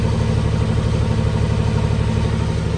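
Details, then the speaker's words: Willys Jeep CJ5 with swapped Chevy 4.3L V6, exhaust now complete through muffler and custom tailpipe, recorded on a phone: steady, even low idle rumble with a smooth, regular pulse and no knocks or misses; normal healthy idle. "it's not bad I like it can't wait to drive it"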